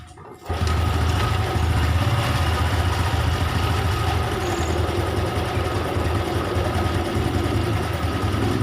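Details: Honda Revo that died when throttled, regulator/rectifier (kiprok) suspected faulty and replaced: engine catches after brief crank and settles into steady even idle, no misses or surging; healthy normal idle.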